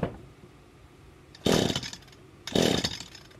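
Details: Small two-stroke string trimmer that wouldn't stay running, after cleaning the clogged exhaust screen: two raspy one-second bursts catching and revving, a second apart; it fires again.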